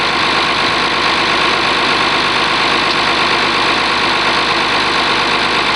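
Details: Oliver 1850 diesel tractor after a cold start, gauges showing charging: steady idle with an even, unhurried beat under heavy background hiss. Normal idle.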